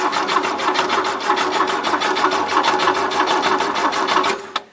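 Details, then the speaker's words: 1977 Gravely GMT 900 on a weak 300-cranking-amp battery and jump box, steady rapid cranking that never catches. There is 12 V at the coil but no spark jumping the plug gap; the coil is suspected and the points are to be cleaned again. "not jumping that little gap so I'm gonna say this spa cola alright so I know I had 12 volt to the coil so take it apart and clean the points again"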